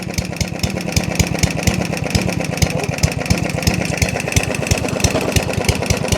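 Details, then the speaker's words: Yardman 139cc OHV mower with jets drilled to 3 mm and already knocking, with load applied: choppy, uneven firing with an unsteady pace. The single-cylinder engine bogs under load. ">> It doesn't like it. >> You don't like it at all."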